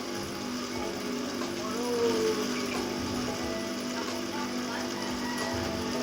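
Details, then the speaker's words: Electric water pump test-run dry (no water yet) after bearing replacement, before reinstalling at the well: steady low hum with a faint whirr, no grinding or rumble; runs smoothly, normal running. "Nah teman-teman bisa kalian lihat sendiri ya untuk suara mesin airnya sangat halus sekali ini belum ada air jika ada air nanti lebih senyap lagi suaranya"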